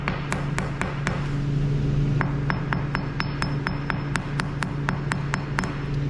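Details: Hammer tapping a 10-year-old Wisconsin salt-exposed concrete garage floor around a surface defect; crisp, sharp taps about four per second ring cleanly with no hollow thud, so this patch is structurally sound.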